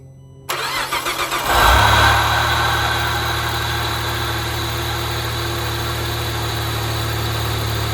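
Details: 2.8L V6 B284 Saab Turbo X with 6-speed manual, cold start with hood open: cranks, catches, steady idle with a constant droning whine; owner suspects the AC condenser, unconfirmed.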